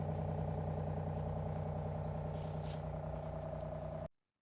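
Smooth, constant hum with a steady low buzz and a faint regular pulse until switch-off; pump running normally.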